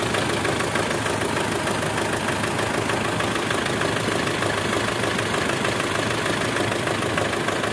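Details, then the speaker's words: Mitsubishi Strada Triton diesel, possibly around 2008, with hard starting, blow-by and smoke at the oil filler: a steady, sharp tek-tek knock about twice a second over a loud idle. It changed when injector number two was unplugged and is heard as piston slap on cylinder two. "jadi ada suara tek tek tek tek tek tek tek tek pada saat langsam"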